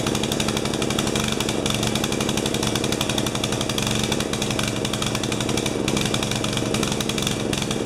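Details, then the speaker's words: 12 HP Swisher bush cutter engine missing a carburettor piece: loud, uneven, choked pulsing at steady throttle, running rich and drinking fuel; float level in carburettor suspected too high, picks up as it runs out of gas. "sounds like it washed it's running rich letting itself yeah they used a bit"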